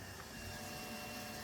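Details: 2008 Harley-Davidson Rocker C after freeing a seized fuel pump and fitting a new fuel filter: short steady electric hum from the tank with the ignition on; the pump is priming normally and building pressure.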